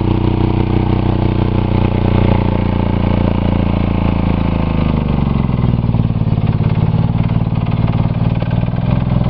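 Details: Buick 3.8 3800 V6, already blown in a crash-derby, rerun with oil pan off, one connecting rod removed, a big hole in the block and little oil: heavy uneven clattering over a lumpy, sagging idle; it lasted about 1 minute 3 seconds, blowing out oil smoke.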